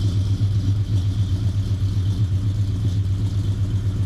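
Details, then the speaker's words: Fox-body Mustang V8 on the factory computer: deep, steady burble at idle, even lope with no knocks, ticks or misses; normal idle. "So, not bad, right? The car idles really nice."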